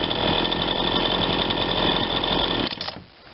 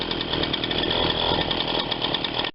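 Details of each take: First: Ryobi 20-inch 40cc chainsaw, warmed up after repair to get it running: held at full throttle, a clean high revving scream without heavy four-stroking, just a hair lean on the high side, and it returns to idle nicely. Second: Ryobi 20-inch 40cc two-stroke chainsaw, previously non-running, after repair and tune-up, warming up; steady low idle without surging or sputtering, chain not moving, idle perhaps slightly low; normal idle.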